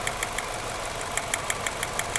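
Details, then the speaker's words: 2006 Nissan Altima at idle: sharp, irregular ticks and snaps over an uneven beat; the scanner shows a number three cylinder misfire, and the test light shows no arc on that cylinder's coil pack. "all right guys the first thing i did was put my scanner on it and found out that the number three cylinder was misfiring"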